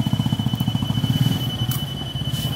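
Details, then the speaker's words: Electric knapsack sprayer: steady high beep over a fast, labouring pump pulse, the red low-battery warning sounding despite a fresh charge; spray very weak, battery worn out (soak), fixed by fitting a good battery. "Bunyinya terus berbunyi. Ini sebenarnya indikator baterai lemah , tetapi baru saja diisi daya."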